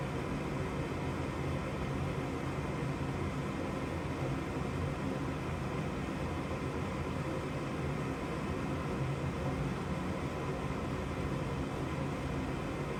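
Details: Gas furnace that makes noise but won't light: steady low inducer motor hum with airy rush, no burner whoosh; igniter reads OL (no continuity) though 120 V is supplied, so igniter failed.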